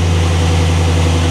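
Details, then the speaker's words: LS-swapped G-Body V8 with factory A/C, mic on owner's chest, 157°F water temp: deep, steady idle at 780–800 rpm with slight drift to about 760, smooth and even. Normal warm idle before A/C is switched on. "But look at the idle. It said it's between 780 and 800. And it's very it's varying down to like 760, I believe."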